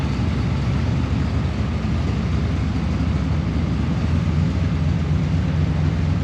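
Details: Holden LX Torana V8 barn find, already warmed up, tailpipes removed and exhaust temporarily dumped before the diff: loud, even, deep V8 burble holding steady with no knocks or misses; healthy running.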